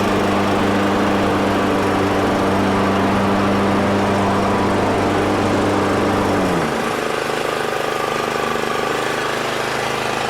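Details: Exmark 21-inch mower, clutch sounding fine: the single-cylinder engine runs steady, then drops pitch, with a rough gritty grind underneath coming from the wheels, possibly a rock caught in them.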